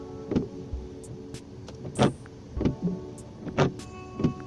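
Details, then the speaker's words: Renault Megane 2 windshield wiper on dry glass before adjustment: short rubbery chirps each sweep, about every second and a half; fixed by bending the wiper so the blade rubber angle is corrected. "какой скрип был, да, на дворнике."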